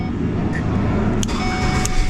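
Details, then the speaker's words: Ford Escape/Mazda Tribute with a no-crank fault (no power at the starter) traced to the ignition switch. Engine now catches and settles into a steady, even run with no grinding or clicking; the switch fault is intermittent, now starting every time. "now it works. There's something going on inside this ignition switch. Now it's working every time."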